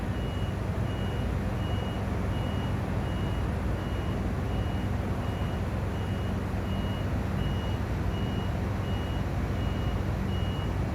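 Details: Crane standing idle after driver returned: high beep on and off about three times every two seconds, nonstop, over low engine rumble; continuous warning beeping, cause unknown.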